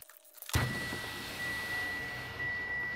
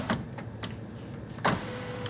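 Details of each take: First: 2017 Mitsubishi Outlander front passenger power window after replacing the glass shattered by a rock: motor whirs at an even pitch through its travel, easing near the end, no grinding or binding; working normally. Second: 2017 Mitsubishi Outlander front passenger door after window glass replacement: the regulator motor hums with sharp, irregular crunches and scrapes as the glass travels; leftover broken glass is in the door track.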